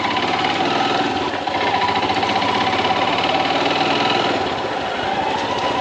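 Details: Royal Enfield Himalayan BS-VI single-cylinder at cold morning idle: fast metallic clatter over the beat, occurring only in the mornings; dealer service found no resolution, source not pinned down.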